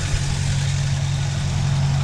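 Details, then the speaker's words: 1966 Dodge Coronet, original 318 Poly V8, points ignition with a new distributor: deep idle with a slight uneven shake in its beat; rough idle, owner suspects plug wires, plugs or timing, cause unconfirmed. "got a little bit of a rough idle sure that can be fixed remedied something but the uh you know i'm sure we're running points"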